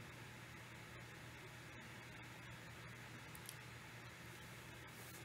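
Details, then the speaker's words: Steady airy hiss with a constant low hum from a Beelink GTi mini PC running unusually hot, its cooling fan running hard and continuously, never heard before; a Sound BlasterX G5 had sat on top of it. "so what i hear what i'm hearing is a fan running"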